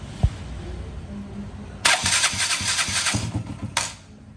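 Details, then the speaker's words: KTM Duke 200 that cranks but won't start, only starts when push-rolled: slow labouring cranking about three to four compressions a second, around 400 rpm, never catching; excessive starter current draw, suspected bad starter motor or overly tight engine. "Hay un consumo excesivo en el arranque. Puede ser por dos cosas. Por dos cosas. Arranque malo, ¿verdad? O muy ajustado el motor."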